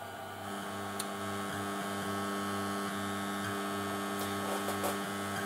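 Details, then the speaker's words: 1970s Blaupunkt Frankfurt car radio retrofitted with a Bluetooth module, paused at full volume: constant low buzzing hum with faint chattering of the module's processor underneath; ground loop from the module's supply. "der hat dieses bluetooth typische suchen und schnattern im hintergrund wenn man die lautstärke ganz auftritt"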